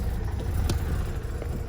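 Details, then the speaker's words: Mazda RX8 with bridgeported rotary on the stock ECU, after the idle fix: deep, choppy, uneven idle that never drops a beat. This is the normal lumpy bridgeport idle, not a misfire. "all right so there it is fixes in idle's right it doesn't break like i wanted to prep sounds like a misfire no misfire"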